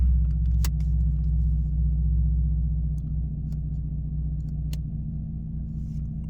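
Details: 2012 Chevrolet Camaro RS, just started after clearing codes with a code reader fixed its anti-theft no-start. A low, even idle rumble holding steady with no misses, knocks or hunting: a normal idle.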